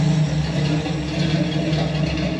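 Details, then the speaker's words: Ford Galaxie XL V8 parked 38 years, revived, running on new straight headers: deep steady burble with even beat and no lifter ticking; smooth, healthy normal idle. "Do you hear that? You hear any lifters? Quiet, happy, smooth,"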